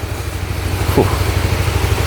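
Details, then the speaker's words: Honda RS150, 21,000 mileage, after overhaul for a cracked piston (tensioner replaced first without curing a noise heard when revving): steady even low idle putter, no knock, slap or rattle on top; normal idle. "Kita dengar kita ram. Fuh, serius senyap, sepi, sunyi, syahdu semua segalanya."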